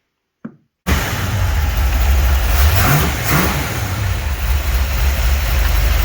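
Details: 1949 Chevy 3100 truck with newly installed motor, first start in garage after adding water: cranks, catches, settles into even idle with clean rev blips, no knocks or misses; running and sounds good.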